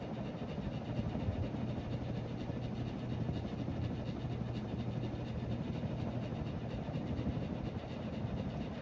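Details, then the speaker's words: Harbor Breeze Cobra Elite 48-inch three-blade ceiling fan with halogen spotlight lights, bought secondhand, running and blowing a lot of air; steady low hum with loud, constant electrical buzz under the air rush, helicopter-like; buzzing noise, cause not known. "Sounds like a helicopter, too, with the three blades. That buzzing is so loud. So annoying."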